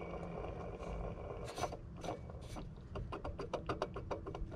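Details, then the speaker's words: 2011 Jeep Grand Cherokee WK2 3.6, serpentine belt removed, AC compressor clutch pulley spun by hand: dry gritty rasp with quick rough ticks as it coasts; failed pulley bearing, fixed by replacing the AC clutch assembly. "you hear that that means that the bearing on it has went out and that's why it's making that weird noise"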